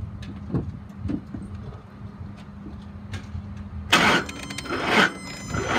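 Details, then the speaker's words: 2008 Ford Expedition XLT, 5.4 L V8, 151,000 miles, on a jump box: slow, labored cranking with a heavy thud about every half second and no start. It earlier started knocking and ticking; a bad motor is suspected. "that's all i can get out of it turns over very heavy it's not starting it may have a bad motor"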